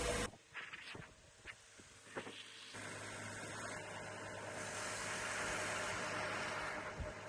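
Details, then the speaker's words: 2017 Lexus RX350, 2GR-FKS V6, 130,000 miles, just after serpentine belt replacement: after a few handling clicks, the engine settles into a smooth, even idle with no squeal or chirp from the belt drive. "There's no squeaking noise. All sounds good and smooth."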